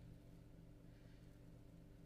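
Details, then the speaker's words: VW Polo after fixing a cylinder 1 misfire (code 16685 / P0301) that made the engine shake; the fault code cleared on its own and the engine now idles with a smooth, steady low hum, no stumbles or knocks. "just cleared on its own and we got a nice smooth idle smooth engine"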